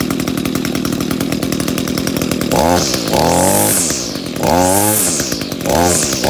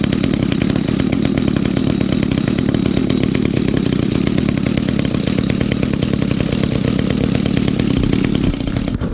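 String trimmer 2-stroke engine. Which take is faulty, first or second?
second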